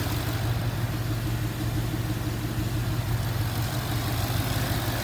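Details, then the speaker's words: Ford Mustang GT V8 after bearing replacement for a knock: steady, even idle with a smooth low rumble and no knock or tick; bottom end sounds healthy, while coolant leaks from a cracked radiator. "And uh I don't hear any knocking. I don't hear no knocking no more. Maybe we survived."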